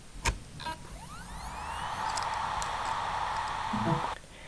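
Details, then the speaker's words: Healthy reference hard drive spinning up: a quick rising whine settling into a smooth, steady whir, unlike a failing laptop drive suspected of stuck heads. "this is what a hard drive should sound like"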